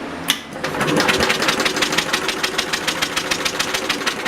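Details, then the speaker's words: Universal model 42 RSS generator, 2500 W, 1800 RPM, cold start after sitting 5 years: even cranking about three and a half turns a second that never fires; no spark, kill switch ruled out, dirty points to be cleaned. "Nothing. That's not good. Alright, we got no spark."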